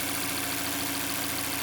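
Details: Mazda 6 Skyactiv 2.0 petrol idling evenly after a bearing-shell repair for a knock that began after an oil change with suspected counterfeit oil; steady hum with top-end hiss and no clear knock, though the knock later returned with a badly damaged conrod and crankshaft.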